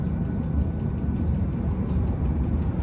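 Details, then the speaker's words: 5 kW Chinese diesel heater at full speed fitted with an ultra-quiet fuel pump; deep, steady heater roar with a faint, soft, less metallic rapid tick at an even rate; normal fuel pump ticking. "still heit that tick tick tick but it's so much quieter sounds less metallic in a"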